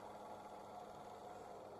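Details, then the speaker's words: Dacia/Renault 0.9 Turbo petrol, 155,000 km, idling after NGK Laser Iridium spark plug replacement for hard cold-morning cranking: quiet even idle, soft steady drone, no misses or knocks; runs smoothly. "The engine starts. everything runs smoothly."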